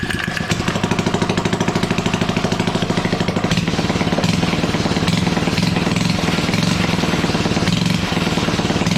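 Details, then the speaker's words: Suzuki ATV with its engine shut-off switch hotwired and a leaking fuel line: the small single catches and settles into a steady, rapid putter with clean firing. It is running normally. "I hotwired the engine shut off switch so basically you put it on start do this and that and it starts"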